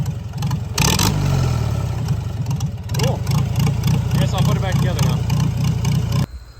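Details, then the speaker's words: Farmall Super C tractor idling in neutral after repairing the throttle return spring in the governor: loud, steady low idle thump with no hunting, surging or clatter; throttle now responds, normal healthy idle. "tractor a neutral it's an idle it's going to be a little loud look at"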